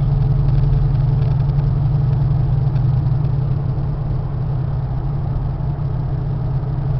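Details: 1994 Chevy Caprice Classic wagon V8 at normal temperature, good oil pressure, no check-engine light: deep, steady idle with heavy, loud exhaust rumble but even firing. Exhaust system needs attention.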